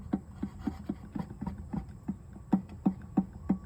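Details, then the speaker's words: Worn water pump from a 2017 Chrysler Pacifica turned by hand: light, hollow knocks about three a second from the bearing, with coolant crust. In the car it caused a whine rising with RPM; pulleys were replaced first without effect. "Can you hear that little knock? Hopefully the bucket is acting like an echo. You can hear it. There's that little knock in the bearing."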